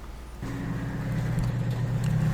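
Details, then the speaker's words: Washing machine stuck full of water in spin cycle: drain pump motor hums steadily with no water being pulled through, and the drum level doesn't drop; the drain pump impeller is broken, so the pump runs but can't drain. "Como pueden ver, dentro del tambor de la lavadora, el nivel de agua no disminuye, aún cuando la bomba de drenaje está funcionando."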